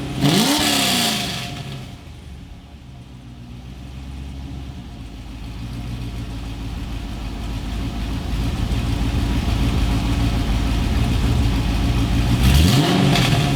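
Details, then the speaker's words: First startup of a 2004 Chevrolet Corvette Z06 V8 after installing Texas Speed headers and an X-pipe, mic on camera behind the car: starter whirs, deep even rumble, smooth revving; healthy, pleasing X-pipe exhaust sound. "that sounded nice I love the sound of an x-pipe exhaust that is that is a very very pleasing very very smooth sound"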